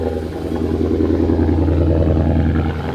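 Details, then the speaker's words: Ford Mustang with failing transmission that won't go into reverse, final startup before taking it in. Low steady idle drone with irregular clattery whirr layered over it; owner attributes noise to the failing transmission. "startup sounds good but the transmission failing does not sound good you guys can hear that"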